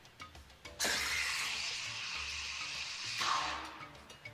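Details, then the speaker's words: Espresso steam wand in a jug of milk heated earlier: shrill squealing hiss for about two seconds; the milk screams because it is being reheated, an unhappy milk sound. "That's an unhappy milk sound. And that's just because you're trying to heat milk more than once."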